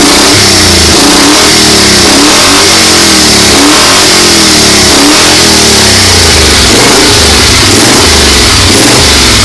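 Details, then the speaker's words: 1970 Moto Guzzi Ambassador V-twin, first start after full rebuild and ignition timing correction: fires and revs cleanly and evenly with throttle, no misses or knocks; healthy running. "my distributor was off like way off so i split the parka and plug leads around and we got fire she runs"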